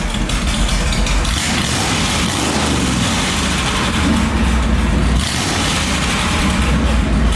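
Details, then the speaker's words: 1963 Buick LeSabre 4-door on its old exhaust with a Flowmaster muffler and kinked pipes along the rockers: a deep, even, loud and steady rumble with no misses or knocks, a normal idle. "and they ran the exhaust pretty much right along the rockers with a kink bent end on it, which really looks bad. It sounds good, but it looks bad."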